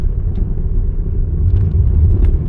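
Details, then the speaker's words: 2002 Toyota Camry road test on freshly graded rough gravel after replacing the right rear wheel bearing and bleeding the brakes. Only a steady low road rumble with no rear clunking; a very faint rattle remains at the right front. The bearing is now quiet. "Well, it's nice and quiet now. Got the brake line installed and brakes bled, obviously, on a road test, and no more clunking from the right rear."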